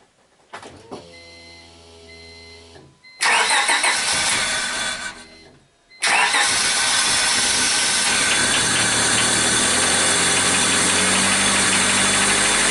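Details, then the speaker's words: 2000 Honda EX after crank no start from distributor problems, ignition coil replaced and reassembled: a few cranking turns, a pause, then it catches cleanly and settles into a smooth, even run with no misses. "okay so there you have it we put the coil in and we put it all back together now and it works"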